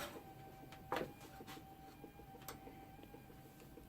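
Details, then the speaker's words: Nema 17 stepper motor dry run on a RAMPS 1.4 board for a 3D printer build, drivers set near 0.5–0.6 V: faint, even high hum with light steady ticking in a quiet room; motors run smoothly and are functional. "so you can see that the motors are functional"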